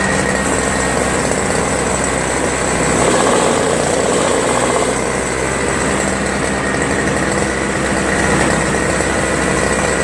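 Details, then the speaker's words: Toro Snow Commander 7HP R-Tek 24" single-stage snowblower, previously no spark; after reassembly, owner suspects an improved ground restored spark: engine runs steady and even with a busy high buzz, no misses or surging; normal running. "nice I'm glad I was able to get this thing running"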